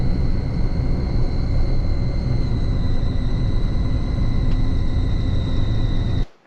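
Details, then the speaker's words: Diesel box truck: a steady, piercing squeal over the heavy rumble, dipping slightly in pitch; loud when running, changes pitch with throttle, very loud during regen; turbo first suspected. "so it was a loud squealing sound when running chain pitches with throttle very loud when regen"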